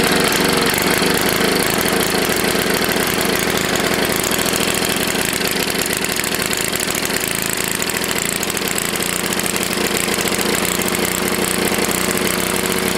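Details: Tecumseh HS40 small engine, long unused and just cleaned, first run; it screams at a steady, very high speed and never settles because the throttle plate is stuck. It was shut down.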